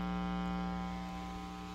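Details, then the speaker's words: Steady low buzz with a strong tone near 200 Hz and even overtones from an inexpensive effects pedal power supply with no earth-ground reference, plugged into an amplifier with isolated plastic-ringed input jacks; ground loop hum, fixed by connecting to the amp's frame ground. "that's because this power supply does not have any reference to earth ground so it's not going to pass its reference that it doesn't have to all the pedals you're going to connect"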